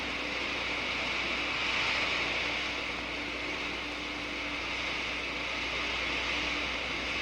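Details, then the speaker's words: Water flows through a venturi with the throat about 20 inHg below atmospheric. Absolute pressure falls below the ~1 inHg vapor pressure, so the water boils into steam patches. Collapsing bubbles give a loud, steady hissing crackle: cavitation. "the absolute pressure goes below the vapor pressure of about one inch of mercury boiling occurs the water changes cysteine and the subsequent collapse of the bubbles which you can hear creates enormous stresses in the wall"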